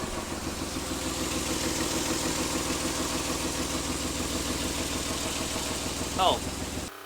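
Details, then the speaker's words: Nissan Z31 V6 idling after reconnecting ignition during a coolant pressure test: uneven, lumpy idle with irregular beat and stumbles, not as smooth as usual; misfire, later traced to swapped plug wires 4 and 6. "not run real smooth i like it not like it usually does"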